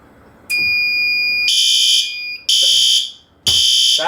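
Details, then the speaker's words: Garage fire sprinkler system test, flow switch tripped via test valve: loud, high electronic alarm tone pulsing about once a second; the waterflow alarm sounds and the fire alarm system activates correctly. "sets the fire alarm off I'll silence that so you can actually hear all the water rushing through here"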